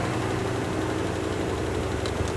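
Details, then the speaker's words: Land Rover Discovery 1 V8 being recommissioned, first start after sitting: steady, smooth drone idling around 1500 rpm, far too high. "okay that idle is way too high I'll check the manual I'll see if there's an idle adjustment we can make"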